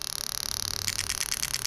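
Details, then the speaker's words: Toyota Soarer/SC400 1991-94 V8 during a test of a new automatic gearbox and fuel pump ECU harness; injector 1 ticks quickly and evenly over a steady hiss, firing properly. "So now I'm going to go around all the injectors. So starting from this side, obviously injector 1."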